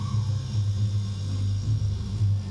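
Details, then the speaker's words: Mabe refrigerator that rattled, started then shut off and wasn't cooling: steady low compressor hum at even pitch, no clicking, cycling or rattle; compressor running normally, fault was the PTC relay starter assembly, not the compressor. "el daño no es del compresor sino de que es de relé Conjunto ptc"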